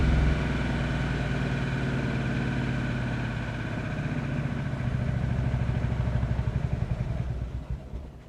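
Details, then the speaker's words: Geo car that earlier bogged and seemed to run on one cylinder: engine runs steadily, then revs sag and firing turns slow and uneven until it dies when the foot comes off the gas; stalling off throttle. "see that I love my foot off the gas and it just dies see if anything will happen if I try and start it up again"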